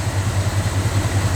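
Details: Small-block Chevy truck just after replacing the mechanical fuel pump and fuel filter, checked with no leaks. A deep, even burble pulses steadily at idle with no misses or knocks; running healthy.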